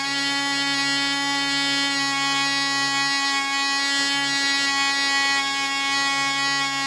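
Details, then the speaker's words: Small glow engine (Carolina Shaker) on a Black Widow mouse racer, first test run on 24% nitromethane with a 5x3 prop and needle valve at three turns: steady high buzzing whine without surging, smooth but slower than expected; won't cut off when the vent is closed, suspected air leak. "it sounds like it's running smooth it just won't cut off when I close the vent so got a little air leak somewhere"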